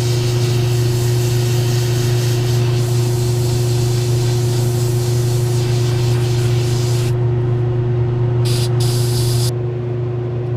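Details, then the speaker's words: Airbrush painting resin figure skin after thinner was added to an overly rich paint mix: even, continuous hiss over a constant compressor hum, no sputtering or spattering; spraying cleanly. "I can go ahead and mix it right in the airbrush and then it's gotten little easier to spray it's not I'm not hearing that noise where it's sputtering and splattering"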